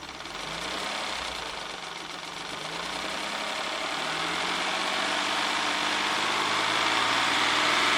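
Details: 1994 Ford Probe GT, revving smoothly from about 600-800 rpm idle to 3000 rpm: the pitch rises evenly with no knocking or rattles; oil pressure goes from about 20 psi at idle to over 50 psi, low but within spec.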